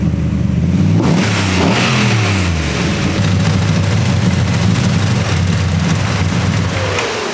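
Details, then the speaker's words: Poor man's LS3 V8 swapped into a BMW E46, first start-up after ECU base map setup, idling over 30 minutes: deep V8 burble rising smoothly with throttle blips, dropping back to a steady idle; engine sounds healthy, quieter than expected. "so we've had this thing probably idling for like i'd say it's been over 30 minutes man we had a lot to do we talked about it but for now the motor sounds great"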